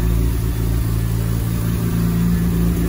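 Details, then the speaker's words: Mazda RX-7 on base tune: steady fast idle held well above normal; air-fuel reading almost 12, running rich; owner suspects throttle position sensor, unconfirmed. "which we don't want it just idling this high all the time but he FRS are almost at 12 so this could be a throttle position sensor issue on why it's idling so rich all of the time"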